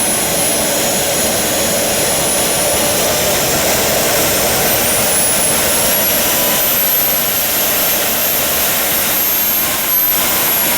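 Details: JetCat RC jet turbine after repair of a failed starter clutch, worn bearings and a deformed NGV that caused blade contact: smooth, steady roar with an even whistle and no rubbing; normal run with idle exhaust temperature held within 500°C.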